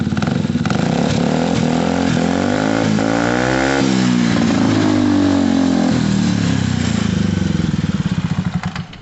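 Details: Gilera DNA 125 with a replacement carburettor, start after the carb and fuel work: engine catches and revs up in a clean climbing pitch, holds, then settles back without stumbling. Runs properly.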